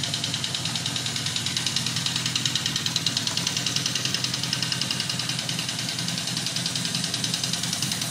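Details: 1979 Yamaha XS1100 Special, about 11,000 original miles: quick light clacking about three per second at idle, gone at high revs; owner doubts rod knock, suspects valve or misfiring cylinder; scoped, cause still unknown.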